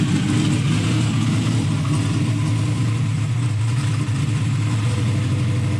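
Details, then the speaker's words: Turbo LS V8 Mustang that had earlier cranking problems, driven outside the shop: deep, steady, even drone with no knocks or misses; engine runs smoothly and healthy. "pull it outside and listen to it outside because it makes a lot of racket inside the shop kind of all echoes and stuff"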